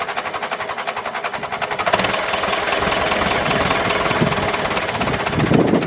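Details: David Brown 996 diesel tractor, sitting about 10 years, first run after storage: a few seconds of cranking, then it catches and settles into an even, steady idle clatter; normal diesel idle.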